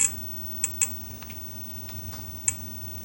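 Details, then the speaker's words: 25-inch K7000A arcade monitor chassis during repair: sharp, irregular ticking near two per second over a faint hum, with the image jumping. Intermittent ticking, possibly the flyback, cause unknown. "Oh no. Oh. We got all kinds of noise going on. I've never heard that sound before. Man, this thing is just one issue after. What is that noise?"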